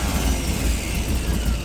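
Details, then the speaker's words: Classic Mini with an upgraded high-torque high-RPM starter replacing the old Lucas inertia starter: quick, even spinning whirr with steady low chatter, no grinding or hesitation; healthy starter turning the engine briskly. "now that is a good sounding starter"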